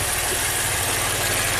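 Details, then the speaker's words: 2016 Maserati Ghibli twin-turbo, 60k miles: lumpy, shaking idle with a heavy low throb and missing beats, smelling of raw gas, as if running on 3 of 6 cylinders; cam timing is out on one bank. "Smells like raw gas. Shaking like crazy. Feels like it's running on 3 cylinders."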